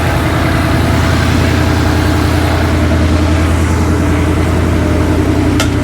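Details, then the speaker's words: Ford Coyote V8 just fired after a rebuild for a spun rod bearing, new timing chains, no coolant yet: smooth, even idle with a steady beat and no stumbles or misses; about 80 lb oil pressure, running cleanly and healthy. "got about 80 lb oil pressure o she sounds good wasn't missing or anything"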